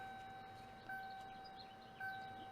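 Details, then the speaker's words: 1980s Ford warning chime module (Motorcraft E6AB-10D840-A2A) from a 1988 Ford Ranger, bench-tested before disassembly: quiet two-tone chime bursts about once a second. Weak output, briefly loud once; possibly due to age. "quietly but it works I did get it loud at one point but uh it went quiet again so I don't know it could just be from age"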